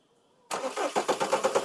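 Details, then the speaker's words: Skoda Octavia 1.9 TDI diesel with no ECM communication: the starter turns it over steadily at about eight compressions a second, but it never starts. The cause was a water-damaged engine control module, and replacing it fixed the problem. "तो self ले र है लेकिन start नहीं हो रही है यही problem है"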